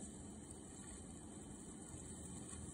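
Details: Windows PC running the built-in Photos video editor with CPU at 90–100% and disk near 100%: steady high-pitched electrical whine over a low rumble, from the computer straining under heavy load.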